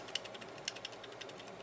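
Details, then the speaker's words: Hard drive that rattles after being shaken, opened up: light, irregular dry ticks and rattles from the head assembly, which has a lot of slack; not fixable, but the drive still works. "there's definitely something rattling here oh that's just the heads yep"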